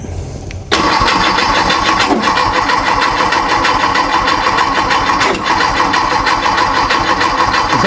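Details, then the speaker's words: A freshly built VW/Porsche Type 4 flat-four on a test stand, checked with a timing light: steady fast cranking that never catches. No start, with ignition timing thought to be 180° off after the distributor drive gear was dropped in carelessly. "that TDC? >> I don't think it is. I think we are off 180."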